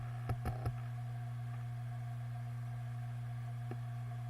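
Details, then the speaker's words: Western Digital Green 1TB WD10EADS hard drive from a My Book USB enclosure, about 8 years old, powering up: steady spinning hum with three quick head clicks then one more; normal startup, though it later clunks while running. "so now I'm going to turn this drive on [Music] so far normal I can accept that here that"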